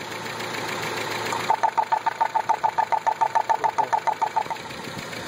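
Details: Toyota 22RE petrol engine idling with a sharp, steady knock about 3.5 times a second. The valves were adjusted hot and cold with the same noise and show no contact marks on the valve cover; exhaust leaks exist before and at the muffler; the cause is unknown.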